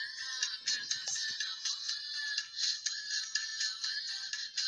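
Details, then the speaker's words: Car speaker on a head unit playing a CD, one of a pair suspected to have a bad internal amplifier or driver: music thin, hissy and tinny with no bass, very weak; speaker faulty, needs opening or replacing. "ये आवाज़ slow है बहुत, शां शां कर रहा है।"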